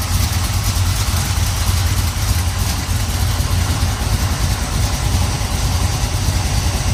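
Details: 1970 Pontiac Trans Am 469ci pump-gas stroker, Lunati hydraulic roller cam, Johnson hydraulic roller lifters, Performer RPM intake, 850 Holley: even lopey idle about 700–750 rpm, slight exhaust cackle, no lifter noise; healthy fresh engine.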